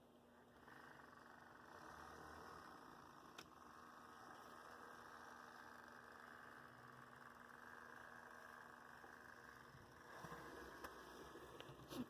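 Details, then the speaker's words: Athearn Blue Box F45 model locomotive with a new 280 motor, running on the yard test track: faint steady low growl with light motor hum and some handling clatter at the end. Nice growl, smooth healthy drive. "It's got a nice growl."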